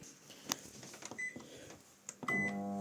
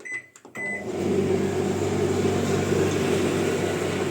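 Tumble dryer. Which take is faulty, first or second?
first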